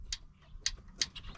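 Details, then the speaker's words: 1957 Hayes HD truck engine running: light, sharp ticks about three per second over a faint engine hum. Valve train ticking, possibly related to earlier work at the valve covers; the cause is unconfirmed. "do you hear that yeah we got someone who had done at the valve covers buddy"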